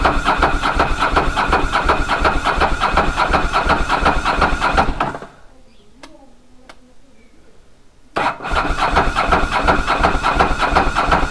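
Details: Ducati Monster 900 twin, first start after a carburetor rebuild by Doc Carbu: runs smoothly with even, quick firing at a raised steady speed, but idle is much too high and needs adjusting. A small fuel leak was also found at the fuel tap.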